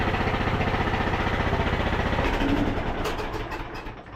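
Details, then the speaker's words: Craftsman T1000 (MTD) riding mower: the small single runs at a fast, steady beat of about four pulses a second, firing smoothly and sounding better, but with a loose marble-like rattle. It is loud, though no muffler leaks were found; earlier it backfired on throttle-down. "does sound a lot better still sounds like a box of marbles though I don't I don't particularly like these engines they just seem very very cheaply built"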